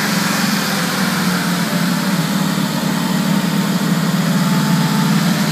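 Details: 2003 Mercedes G55 with Kleemann supercharger, first start after install: V8 runs at raised speed with an uneven, stumbling misfire beat, blamed on improper fuel delivery installation and misrouted vacuum lines to the MAP sensor and switchover valve.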